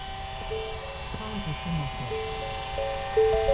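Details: 2013-2018 Ford Escape, key on with the engine off, entering electronic parking brake service mode for a rear pad change: a few seconds of steady, stepped electric whirring as the rear caliper motors wind back smoothly, a normal retraction.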